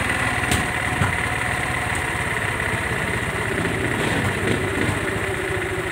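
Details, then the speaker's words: Motorstar Easy Ride 150 just revived after over seven years unused, oil in cylinder head; steady, quick, even single-cylinder idle with no misses or knocks; idle was set high and is to be lowered; high idle. "So tinaasan ko yung minor niya, babaan"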